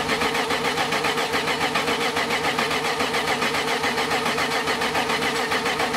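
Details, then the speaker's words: BMW E30 with freshly built M52 turbo engine on Megasquirt, first start after head assembly and cam timing, weak battery: starter cranks in an even rapid chug for six seconds but won't fire; fuel pressure being raised, cause not confirmed. "Now it should start. Does it move? Doesn't start? Just raising up the fuel pressure."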